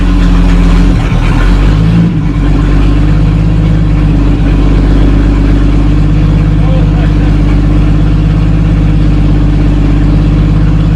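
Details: 1937 Talbot saloon 3.2-litre six-cylinder petrol engine, laid up since the mid-1970s, with fresh oil, ignition repaired, carburettor cleaned and fuel system temporarily bypassed, ticks over at a steady, deep, even idle.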